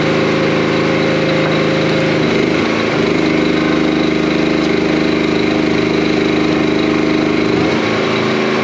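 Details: Commercial log splitter small single-cylinder engine after hydraulic repair: steady even pace, note dips briefly twice under load then recovers; normal running.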